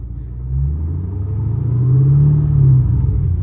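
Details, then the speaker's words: Car: deep rumble building smoothly through revs with no buzzing; the floorboard rattle that used to appear at 2,500 rpm is gone. "Oh dude, this is the quietest it's ever been in here. Let's go! I'm so happy it's not rattling."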